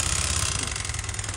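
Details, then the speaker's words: Honda Vario 125 FI that stalled suddenly after the engine oil went unchanged, restarted after refilling oil: rough, lumpy idle with a harsh metallic rattle and heavy white exhaust smoke, judged a scored piston burning oil. "Tuh parah banget ngebulnya. Ini bisa dipastikan ya pistonnya baret ini sehingga oli mesin langsung ikut kebakar ya."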